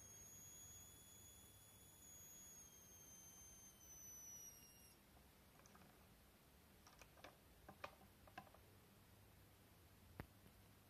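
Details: YH11087A 5A MPPT solar regulator, 60 Wp panel input (~17.5 V), 12 V 55 W H7 bulb load, output 12 V, MPPT ~19.5 V: raising output current limit from ~0.77 A (current capped near 1.53 A) produces audible ~7 kHz inductor coil whine.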